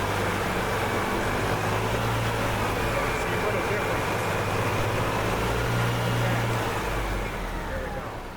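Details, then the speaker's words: 1997 EZGO TXT gas golf cart, hard starting after sitting, after clearing fuel petcock elbow blockage: small single engine thrums at steady even pace, no missing or surging; normal running. "That sounds a lot better. Okay. Generally, that's usually enough to make these work."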